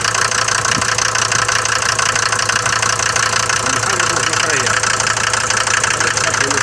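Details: Mercedes diesel, cold morning start, bought with this noise: loud, hard metallic clatter over the idle, uneven about three times a second; cold diesel knock, dirty injectors or bad fuel suspected, not confirmed.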